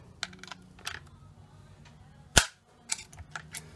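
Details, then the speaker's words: 2013 Ford Fiesta rear door latch actuator after repair, bench-tested out of the car: one sharp, crisp snap amid light handling noise; latch catches and locks properly, fault of door bouncing open without latching fixed. "So that's it, latched in properly, and"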